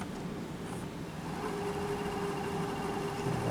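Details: JVC HR-S5400U Super VHS VCR after repair of tape-loading fault: quiet, steady mid-pitched hum of reels in fast forward; runs smoothly.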